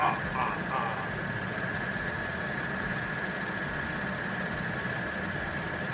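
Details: 2010 Audi S4 3.0T supercharged V6 first start after walnut-blast valve cleaning, valve cover gasket, PCV valve, water pump, thermostat and supercharger reinstall, coolant bled, before warm-up; steady, even idle with faint constant blower whine, no leaks: normal idle.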